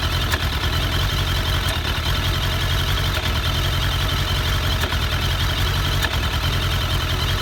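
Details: 2001 Suzuki Bandit, about 16k miles, after carbs cleaned and synced: steady uneven idle with a sharp pop about every 1.5 s over hissing; cylinder 3 dropping out, intake boots checked, plugs have spark, cause unknown.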